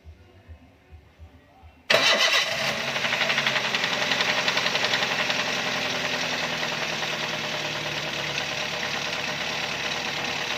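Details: Toyota Avanza 3SZ engine cranks, catches and runs with a rough, rapid knock over idle; worn connecting rod bearing, likely from oil pump or oil sump issues due to oil upkeep, needing a general overhaul.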